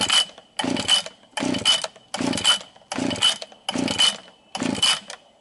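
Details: John Deere TS26 string trimmer after a Walbro WYJ-104-1 carburetor rebuild (K20-WYJ kit, new air filter, primer bulb), running high with no trimmer head: seven sharp revving bursts climbing cleanly and dropping without sputter; carb working properly.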